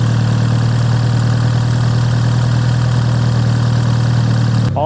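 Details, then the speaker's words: BMW F30 330i B48 after new NGK Laser Iridium spark plugs and Dinan ignition coils: smooth steady low hum, even beat, no misses, knocks or ticks; healthy settled idle, repair successful. "you guys that is the spark plug and ignition coil installed done as you can hear the car is idling uh fine it's really bright so everything went according to plan"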